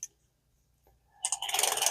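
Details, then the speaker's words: Vintage Shakespeare Tidewater 30GL fishing reel, after fixing a lock-up with cleaning and lubrication: light, quick, even clicking as the handle turns, level line moving back and forth smoothly, no grinding. Normal reel operation. "and it's working there your level line going back and forth as it should it's nice and smooth"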